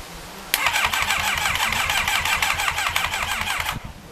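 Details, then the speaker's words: Rebuilt Thunderace engine first start attempt: starter spins in quick, even pulses for about three seconds but never catches; battery going flat suspected, throttle possibly not connected, not confirmed. "I think the battery's going flat which is a bastard because all right the battery's definitely going flat and we're getting a bit of a backfire as well"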